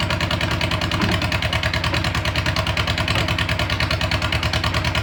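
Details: VW Beetle (Bug) air-cooled engine idling right after first start following fuel system and gas tank redo, carburetor primed; even, quick putter at about three beats a second with no misses or stumbles; smooth, healthy idle.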